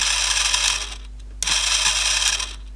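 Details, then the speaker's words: Rusty 1980s Clarion car cassette player, powered on bench without speakers: motor whirs with rapid ratcheting clicks in two short bursts, mechanism cycling without loading; seems stuck in a half-loaded mode, cause unconfirmed. "it thinks it's in some sort of half loaded mode, I guess. We're pressing the switch in or something. Can we... Doesn't want to stay up, does it?"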